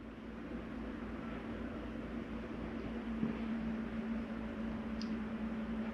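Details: Jayco Eagle 28.5RSTS furnace kicking on from the wall control panel: a soft low hum swells as the blower spins up, with a steady airflow hiss and no scraping or rattling. Normal startup.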